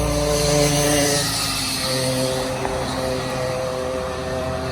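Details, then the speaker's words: 80cc two-stroke motorized bicycle kit after cylinder, intake and exhaust porting plus piston skirting, passing at speed: strong buzzy note dropping in pitch as it goes by, runs clean and pulls hard. Now climbs the hill and runs better. "It is definitely running better."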